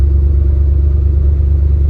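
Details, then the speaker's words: 1979 Ford F150 on a slow road test after replacing a destroyed carrier bearing that had squealed. Low, steady engine and road rumble with no chirp or squeal from the driveline. "I'm not hearing anything yet at slow um speeds it would be chirping I don't hear anything right now so that's already a plus"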